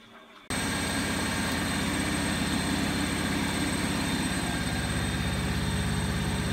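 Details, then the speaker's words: Bosch WFF2000 washing machine, second-hand, test wash after replacing the drain pump unit: steady even hum with no rattle or grinding during the rinse-spin pump-out, water flowing from the hose; fault appears fixed. "you've got water coming out of that hose and we're on the rinsing spin, so it's looking better. It's looking like it was the pump, but I'm not getting my hopes up yet."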